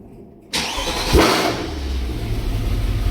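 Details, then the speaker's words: Mercedes-Benz W204 C63 AMG with M156 V8 after new spark plugs, filters and battery; quick crank, catches at once and settles into a steady, even, slightly lumpy idle; normal cold start. "Oh yeah. She runs. She runs. She got new plugs."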